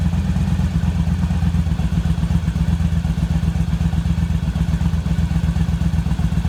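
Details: Yamaha V-Star 1100 V-twin after carb rebuild, valve adjustment, harness repair and reassembly: loose, loping idle with a steady low thump about four beats a second, even and unbroken; sounds healthy.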